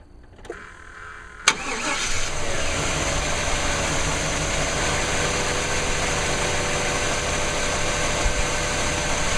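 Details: Rebuilt 1998 5.7L 350 Vortec V8, ignition timing not yet set, with earlier blow-by smoke now gone: cranks and catches quickly, then a smooth, even idle with a steady rumble and no knocks or misses.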